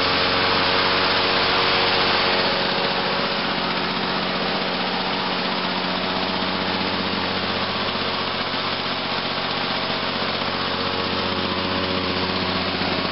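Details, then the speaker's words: 1986 Lawn-Boy 8461 Commercial two-stroke mower on 32:1 mix, cold-started at about 61°F after sitting about a week, two pulls: a steady, even buzz at a fast regular firing rate with no misses or surging. It runs clean. "cool not too bad two foals I just love how get this long boy runs just got to love these two stroke lawn boys"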